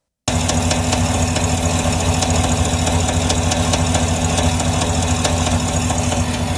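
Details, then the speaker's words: 2023 GM 5.3 L V8 with 82,000 miles just after an oil change to 0W20: rapid sharp ticking, two to three a second, over steady idle rumble; heavy valvetrain tick, quieter after switching to 5W30. "He did an oil change to 0W20, drove it around, and he heard this heavy ticking noise, so I'll play that now."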